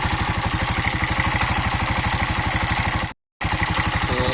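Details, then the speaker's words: Bajaj BS6 CNG auto rickshaw idling in neutral: even, quick tapping about three times a second over a low thrum, sound changed from before; tappet noise. "इस गाड़ी में जो है एक tappet का जो है टप टप टप टप आवाज कर रहा है।"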